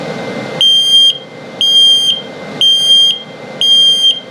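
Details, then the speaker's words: CO/LP gas detector in a 2022 Flagstaff Super Lite 26FKDS travel trailer during a self-test: four high piercing half-second beeps about once per second, the low-battery alarm that warns the battery is getting low. "Also, if it beeps very slowly, it's telling you your battery's low. So it detects carbon monoxide buildup, LP gas leak, and it'll tell you if your battery's getting low."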